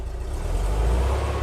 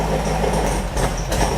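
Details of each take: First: Porsche 356 air-cooled flat-four with dual carburetors, dead cold, reference for a Beck 550 Spyder replica: deep steady low idle about 700-800 rpm on throttle hold, even beat and no stumbles, running smoothly. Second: Beck 550 Spyder replica, VW-type flat-four with Dellorto carbs, after a jet cleaning at startup: a rough, loping idle with uneven pulses; all four cylinders now seem to fire but do not pull equally, still out of balance.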